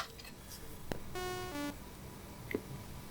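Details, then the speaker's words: Commodore 64 (breadbin, bought not working) running the game Burning Rubber: short, thin tones with gaps where a voice drops out, pointing to a faulty SID sound chip. "kind of missing a voice there aren't we"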